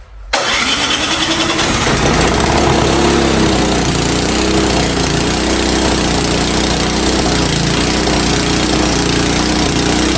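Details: Powersmart snow blower that wouldn't start, after ultrasonic carburetor cleaning: engine catches after a short crank and settles into a steady, even mid-pitched run with no stumbling; healthy.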